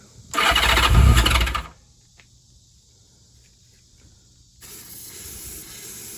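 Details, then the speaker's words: 1982 Honda GL1100 Goldwing, first start after long storage, after a replacement starter was fitted: cranks, catches and revs roughly for about a second, then dies; owner thinks it may need choke. "power to it keys on oh it starts it sounded like it was trying to fire well let's try this oh it ran maybe choke"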